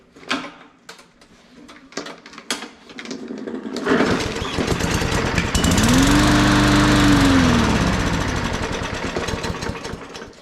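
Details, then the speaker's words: New budget Walmart push mower that sat unused, brake cleaner sprayed into the carb intake: catches, chugs roughly a few seconds and fades out; runs only briefly, likely a stuck carb needle. "yeah it sounds like a stuck needle so let's get this carb out and then see if we can clean it out"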